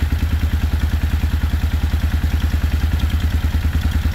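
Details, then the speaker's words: 1995 Suzuki Intruder 800 revived after 13 years of storage, starting fine once the battery works; steady, even low V-twin thump with no misses or knocks, though the top carb is suspected out of sync and there is an exhaust leak; normal idle. "But it's great. It's idling. I don't have to do anything. It fires right up once the battery is working correctly."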